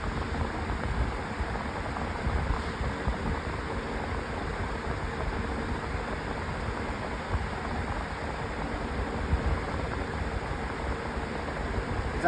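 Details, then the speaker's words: Lasko 20-inch Elite Collection Cyclone four-speed floor fan on speeds three and four: steady even rush of air, loud, no vibration or rattle, well balanced; normal high-speed operation. "Here's speed number three. Already kind of loud already. That's what you'd expect usually. And here's four."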